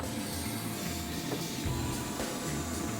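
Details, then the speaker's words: VR V6 turbo Commodore ute with new 800+ hp fuel system, pump relay jumped for leak check: even low electric hum and soft whir with no surging; pumps hold 50 psi base pressure, no leaks or smells. "And everything sounds good. Fuel's flowing. No leaks, no smells, which is always a good sign."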